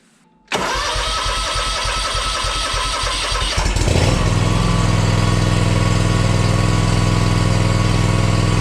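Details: Ferris 400s mower with a Kawasaki FR651V engine, started right after an oil change with 2.1 quarts of 10W40: it cranks briefly, catches cleanly and settles into a smooth, even idle with no misses or knocks. No leaks; a healthy start.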